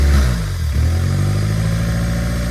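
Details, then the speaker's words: Built Honda D16Y8 in an EG Civic, first run after rebuild: after capping a vacuum nipple left open by the removed evap box, idle settles steady and even with no loping; it no longer goes "plum blum plum". "Take care of that. It no longer goes plum blum plum."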